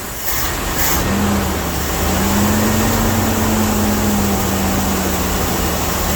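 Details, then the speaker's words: Dodge W300 Club Cab truck that was missing on 2–3 cylinders and smoking; after re-gapping nearly zero-gap spark plugs, idle still lopes with an irregular stumble, still missing; owner plans a road run to heat and clean plugs. Engine misfire. "Well, it still sounds like it's got a miss, so I'm gonna take it down the road and try to blow it out."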